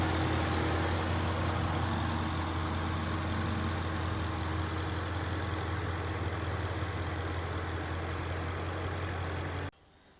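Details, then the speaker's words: 2011 Ford Mustang GT 5.0 Coyote with Roush exhaust, idling warm outside after a 15-minute, ten-mile drive at varying rpm, following replacement of all eight rod bearings and rod bolts: smooth even V8 rumble, no knock or tick. "so I took it on about a 15-minute ten-mile long loop around my neighborhood varying rpms and then I parked it out front and captured this video of it idly"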